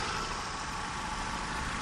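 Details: Mercedes engine idling after belt tensioner damper repair and greasing: quiet, steady idle with an even hum and no knocking or rattle from the belt side; the roller no longer rattles; normal.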